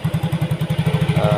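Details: Yamaha Mio GT fuel-injected scooter idling after injector replacement: it was previously hard-starting and stalling, with high injection duration. Now steady even putts at 1300 rpm, idle control 19.0%, no misses; stable idle, repair considered finished.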